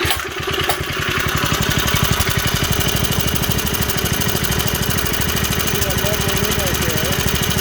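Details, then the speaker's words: Vintage Heald VT-3 minibike with carb tweaked: a rapid, fairly even raspy putter. The owner is certain of a head-gasket leak; the bike loses power and runs goofy at the top end regardless of the rich/lean setting. "I mean, she's running pretty darn good, but she loses power on the top end and just starts running really goofy. It doesn't matter how rich or how lean I set it."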